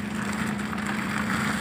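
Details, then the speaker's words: Maruti Alto 800, steady idle after suspension repair; previously loud noise from underneath when driven, now front suspension silent with no knocks, clunks or squeaks: quiet suspension after repair. "और अब यह देखिए बिल्कुल पोया ward निवासी गाड़ी में बिल्कुल गाड़ी साइलेंट हो चुकी है"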